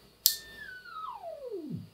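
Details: Zenith Trans-Oceanic Royal D7000Y radio, BFO switched on with 455 kHz signal after AM IF alignment: after a click a whistle slides from high to a low growl nearing zero beat; BFO off frequency.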